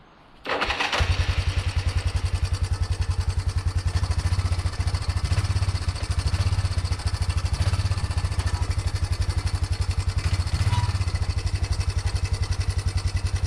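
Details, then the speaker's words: 1987 Yamaha Big Bear 350 4x4 after ignition repair (coil, plug, stator, CDI replaced) and valve adjustment: engine settles to a steady even thump while driving, shifting through high, low and reverse with no clunks or grinding; shifting feels slightly tight. "so we're driving under our own power here that was uh high gear first in high gear and then reverse and then forward and low and reverse and then back forward and high so it's shifting through high low and reverse fine"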